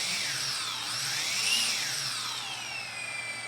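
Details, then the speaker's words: DJI Mavic Mini drone with Power System Error 30210, after all four BLDC driver ICs on the ESC board were reflowed, indoor takeoff: smooth high whine climbs, peaks, then settles as the props spool; all motors sound even and healthy. "take off [Applause] yeah okay it works no freaking way I didn't expect that I really didn't"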